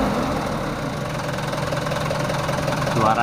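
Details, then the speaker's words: Mitsubishi Canter 110 PS diesel van, factory standard, about 3,000 km, before valve and nozzle tuning: dull, muffled, slightly uneven idle clatter with no crisp beat; owner finds engine sound not right, no specific fault identified. "dan suaranya itu kurang enak kurang pas"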